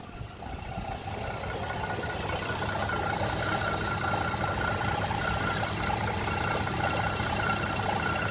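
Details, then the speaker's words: 2010 Chevrolet Traverse just after timing chain replacement, not fully reassembled, AC on, no check engine light or codes: idle hunts and bounces unevenly, about three uneven beats a second. "She's idling like poop. Let me turn off this AC. Forgot how idle's bouncing around."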